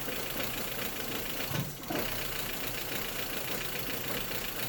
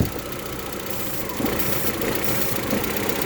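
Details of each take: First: 1.8T Audi A4 wagon, cold first start after months idle, fresh oil, new ignition coil harness: rough idle with uneven hissy tone and dry-lifter ticking. Vacuum leak under the intake, not a misfire. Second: 1.8T Audi A4 after ignition coil harness replacement, first start after months sitting: steady, even idle over a light hiss with a vacuum-leak hole under the intake plugged by finger; smooth idle.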